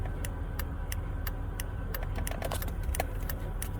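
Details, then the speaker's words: 2000 Chevy Impala with no turn signals, after replacing the hazard switch with built-in hazard and turn-signal flasher: crisp, even relay ticks at about three per second, recorded close up; flasher now cycling normally. "This is also the hazard flasher and turn signal flasher. Yep, you heard me correctly."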